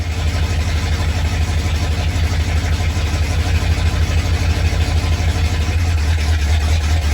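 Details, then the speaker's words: 1987 Ford Bronco XLT, cammed 351W V8, 4-barrel Holley Double Pumper, headers into straight-piped true duals, first cold start after sitting all winter: loud lumpy idle with stumbles about three a second, misfiring, seems to clear up. "hey what is he this firing talk about misfires Eddie did not like hibernating for winter"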